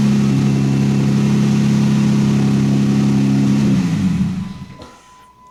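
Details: 2015 Jeep Wrangler Rubicon, manual, after a loose positive battery cable caused a no-crank, no-power fault: the engine starts and runs steady and even for several seconds, then winds down cleanly with no misses or knocks; normal running.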